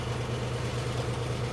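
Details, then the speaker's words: Small air compressor for a laser engraver running as the job finishes with three bleeps, just before the air is turned off. Steady, even low drone with no knocks or rattles; running normally before shutdown. "those three bleeps mean that the job is finished you can be safely touched"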